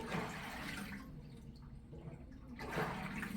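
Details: Speed Queen top-load washer from an estate auction, washing a load of towels: water sloshes in slow, regular surges with no knocking or grinding; healthy agitation.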